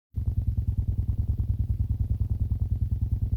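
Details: Xiaomi Redmi Note 2 through car stereo AUX: steady low thumping clicks about twice a second, only with the jack-to-jack cable, none with headphones; interference source unknown.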